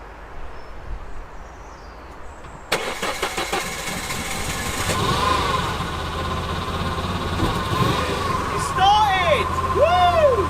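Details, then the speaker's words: Abandoned UK 197 hot hatch, first start after sitting: several seconds quiet, then catches into uneven, lumpy idle with irregular stumbling and odd noise; owner suspects injectors, fueling or fuel pump, unconfirmed; rough running after cold start. "I mean it runs sort of it's actually started okay apparently there's a issue with maybe injectors fueling I don't know fuel pump we'll find out"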